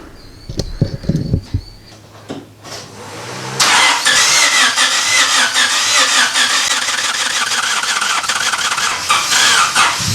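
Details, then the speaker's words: Honda Civic EK hatch project after swapping plugs and moving wiring: it cranks and catches after a few seconds, then gives a rough, raspy rev with no steady idle and dies. A lot of oil comes out of the exhaust; something very wrong in the bottom end. "it actually started to I wouldn't say run but I did get it start and Rev and then it just dies"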